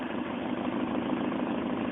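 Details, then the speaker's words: 1.8 BP engine after adjusting throttle body idle air bypass screw, cold start: steady even idle holds after blip, no stumble; still may stutter and die under electrical or AC load. "see the idle's pretty normal now see what it does when it it's not see I kind of wanted to stutter and die"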